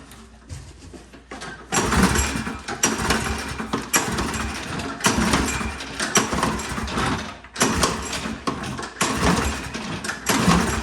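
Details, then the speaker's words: Toro Recycler push mower, non-running with compression and spark, air filter off, starting fluid added: repeated pulls give short sputtering bursts that catch and die; owner suspects carburetor completely clogged. "Okay, I think the carburetor might be like completely clogged. So let's take that off and then see what happens."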